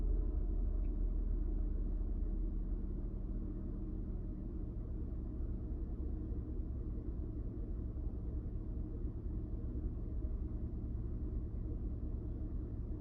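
Low, uneven idle rumble that wavers and stumbles instead of holding a steady beat, a rough idle with no clear cause. Cause suspected, not confirmed.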